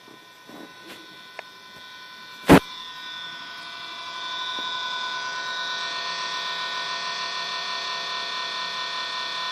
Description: I turned my xbox on and this is the noise it made. I turned it off an on and it still made this noise.